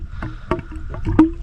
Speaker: obviously water's going in this way and you can hear it gurgling so that's just the air air coming out the top